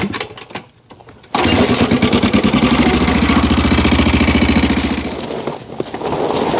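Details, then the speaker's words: 1987 Honda 250X ATV four-stroke single after a 38 pilot jet, 130 main jet and fuel screw adjustment: idles with light, quick valve tapping over the exhaust beat, louder than normal; valves to be adjusted. "I do need to check those valves. They're tapping a little louder than a Honda should."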